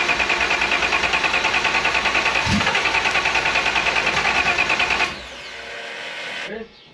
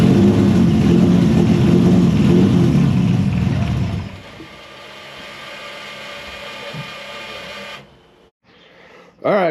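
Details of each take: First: Engine with new homemade intake manifold, laptop tuning of timing and outputs underway: fast even cranking about three turns a second, one sharp pop as it fires once, then stops; hard start with intake backfire, cause not confirmed. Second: Engine with new homemade 3D-printed intake manifold after earlier intake explosion, now started after PFI Speed remotely corrected ECU settings: loud rough revving in small room settling to steadier quieter run; normal running and revving.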